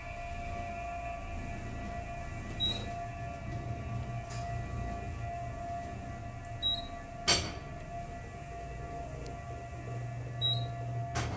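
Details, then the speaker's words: Aging 1970s hydraulic parking-deck elevator, Park or Southern, travelling between floors: sharp single bangs every few seconds over a steady motor hum, one at each floor; something suspected loose in the shaft, cause not confirmed. "but nordy out as you hear it hits something on every floor not sure if it's something smacking up here or what sounds like it but I'm yeah it smacks and it's it's loose in the shaft"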